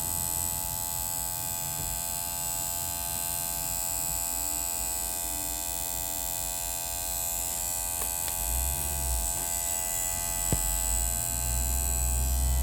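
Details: 2009 Volvo V50 1.6: constant electrical-sounding buzz, steady in pitch and level in a quiet background; source unknown.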